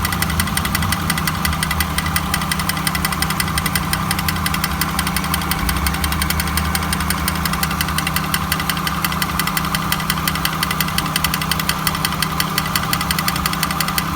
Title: 1999 honda accord grinding sound